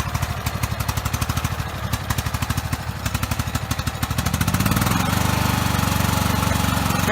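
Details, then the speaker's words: Lawn mower started after reassembly, throttle set to fast (rabbit); small engine chugs about four beats a second, uneven and labouring before picking up slightly; runs sluggish, possibly because a black part is missing, cause unconfirmed. "it is kind of sluggish"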